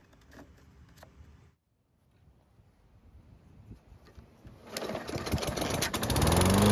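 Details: Toro mower with a hot engine, restarted after an oil level check: quiet, then it catches and builds to a strong, steady run; starts on one pull versus three before; healthy.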